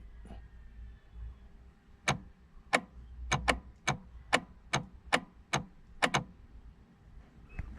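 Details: Mitsubishi Lancer with code C1000, brake switch command stuck on while brake light off: sharp isolated clicks about every half second, roughly a dozen, over quiet background from the shifter area; cause unconfirmed.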